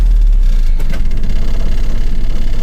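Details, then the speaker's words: 1985 Mazda B2000 ute, 2L carbureted distributor engine, recently new points, cold start with no choke and a few pedal pumps: steady low four-cylinder rumble, even with a light rattle; normal cold start idle. "so you can hear our wellet runs now no choke this time few pumps I mean you can't complain about that"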